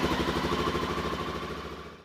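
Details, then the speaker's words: Honda XR650L single-cylinder motorcycle that cranked without starting (no spark) after standing three weeks; after cleaning battery and wiring terminals (12.6 V), it fired right up and runs with an even, healthy thump before cutting off. "i hit the starter switch bike fired right up"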